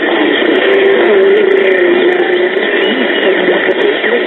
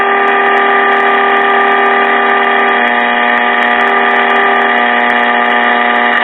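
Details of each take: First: 1940s Sentinel AM tube radio after repair and 455 kHz IF alignment: clean, steady music from the speaker with a muffled top end, no crackle or hum; set receiving a music AM station properly. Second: 1940s Sentinel AM tube radio during IF alignment: steady buzzy 455 kc test tone through the set while a trimmer is adjusted for minimum output; tone getting louder.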